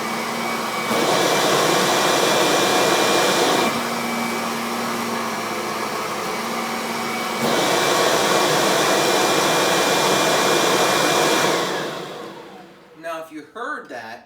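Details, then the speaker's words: Kirby vacuum with brush roll on: steady high motor whine drops in pitch as the nozzle crosses the rug edge, then recovers; the tone change is airflow, not brush roll speed, and would persist with the belt off; normal, strong suction. "what you're hearing is air flow and not the brush will speed going in fact let me turn the belt off and I guarantee you you'll hear the same thing"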